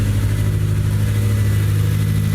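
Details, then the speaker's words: Honda S2000 project car just started, no catalytic converters, no coolant, smells rich; smooth even low idle with steady deep hum, no skips or stumbles; healthy idle, no misfire. "good, dude. No misfire."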